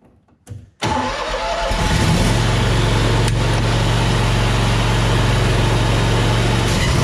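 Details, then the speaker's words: John Deere Z930M zero-turn mower with deck engaged after repair: engine catches and settles into a steady, even drone with no vibration or shaking; sudden severe deck shaking now fixed. "Okay, no more vibration, no more shaking. This is fixed."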